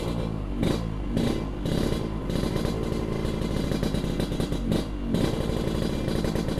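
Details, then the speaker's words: Yamaha RX King two-stroke after a recent exhaust repair: crisp, even crackle picking up cleanly with each throttle blip, no rattles or misses; the exhaust sounds healthy. "Karena knalpotnya ini baru-baru kita udah perbaiki, udah jelas kembali. Jadi yang penasaran dengan suaranya, ayo kita jalan."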